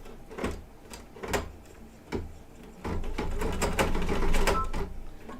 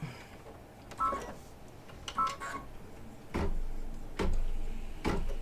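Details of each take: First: Embroidery machine stitching satin stitches with Kingstar metallic silver thread: uneven clacking needle strokes with heavy thumps and stalls; abnormal, not forming stitches, silver found bunched behind, owner suspects it didn't thread properly. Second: Embroidery machine stitching after re-threading: a few starts and stops, then a quick, even rhythm of about four stitches a second, running smoothly; earlier threading problem's cause unknown but fixed.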